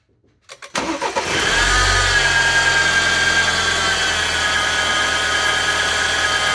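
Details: 2016 BMW X3 xDrive28i N20 engine: cranks and catches, then a thin steady high whine rides over the idle; diagnosed as a bad belt pulley bearing.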